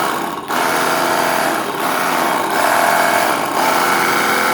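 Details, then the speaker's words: Cordless car washer after lithium battery pack repair (BMS checked OK, output about 19.8 V), tested running: strong, even, high-pitched motor buzz with brief regular dips as the pump cycles. Normal operation. "तुम्ही बघता हे व्यवस्थित चालू झालेलं आहे. तर हे आता काम झाल्यानंतर आपण हे कार वॉशर आपण कस्टमरला परत देऊ."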